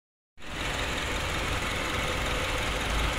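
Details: Honda CR-V 2nd generation starts and settles into a fast, loose metallic chatter at idle; the timing chain area is suspected.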